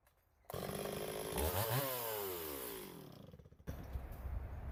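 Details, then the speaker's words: Stihl 026 chainsaw, owner reports pop or miss at high revs when hot or pushed hard: screams under load, stumbles and stutters when pulled up in the cut; ignition misfire, suspected wire grounding out. "Okay, I don't know if you guys heard that, but that last little bit when I pulled up on it, you could hear it missing. So I'm guessing there's a wire somewhere maybe grounding out."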